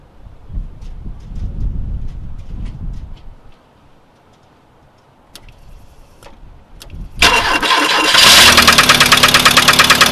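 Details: 1992 VW Cabriolet 1.8L SOHC running with all accessory belts removed: sharp, steady knock about three a second over the idle; compression 150 psi on three cylinders, 125 on the fourth, cause undiagnosed.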